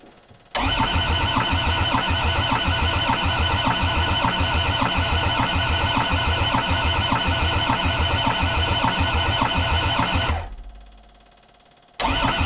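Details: Old abused Kubota diesel skid steer, long unused, snowy day around 20 degrees, glow plugs engaged and injector lines cracked while bleeding: starter turns it over evenly for about ten seconds, but it never catches.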